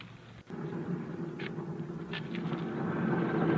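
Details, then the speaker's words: Swaraj 735 tractor with a rear wheel spun while the brake is off; a loud low growling drone swells with wheel speed and gets louder when driven fast, the sound of a worn bull pinion bearing. "जैसे हमने check कराकर उसका tyre घुमाया तो इसमें तेज आवाज बन रही है"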